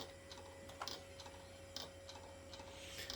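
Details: 10 GB hard drive in an IBM/Cyrix Socket 7 Windows 98 PC, not detected even after turning it upside down: quiet dry ticks repeating about once a second over a faint hum; failing drive, click of death.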